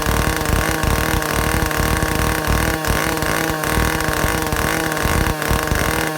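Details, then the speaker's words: Vintage Stihl 051/075/076-type chainsaw after air-leak, fuel-system and carburetor repair, high-speed needle adjusted: crisp two-stroke howl held near top revs, peaking about 9,400 rpm (spec 9,000–10,000), brief dips, clean pickup; running properly. "I can get it to peak out at about 9400 RPM. And so that's where I'm going to leave it."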